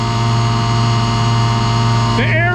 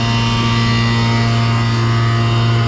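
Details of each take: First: Pneumatic bulk tank unloading cement, about 10 psi line pressure: steady low drone, fixed blower tone; product packed during driving, aerators running to break it free as pressure drops slightly. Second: Pneumatic bulk tank unloading cement, line at 12 psi, aerators closed down: steady deep hum with no aerator hiss, gauge and hose jumping; good product flow.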